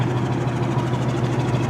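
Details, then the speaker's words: 1985 Buick Riviera, factory Olds 307 roller-lifter V8, carbureted, cold start; replaced factory-type exhaust with factory-type cat and Walker turbo muffler; low steady exhaust drone, even unbroken beat, nothing rattling; smooth, quiet normal idle. "It's a factory exhaust system. I mean, it's been replaced, but it's still got a factory type cat and a Walker Descent turbo muffler, and yeah, runs nice and decently quiet."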